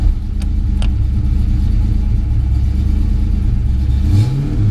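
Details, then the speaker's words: Fox Mustang, about 350 hp with a 303 cam, cooling system and cracked header fixed, warming up: deep loping V8 idle with an uneven chop from the cam, steady and strong. Healthy cammed idle. "well as it uh as it warms up you can hear the cam it's a 303 cam it's got a nice lumpy idle to"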